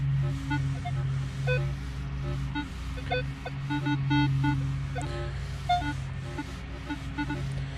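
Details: Minelab Equinox 800 metal detector in multi-frequency mode over clean ground after ground balance: steady hum with scattered chattering beeps, far noisier than 10 kHz mode; owner unsure if machine is faulty.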